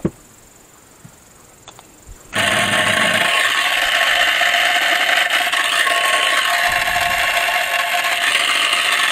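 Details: Pool filter circulation pump that had been crackling and humming, after disassembly and refitting the washer and bushing: quiet, then the pump starts abruptly into a steady whirring hum with no crackle or grinding; normal running after repair.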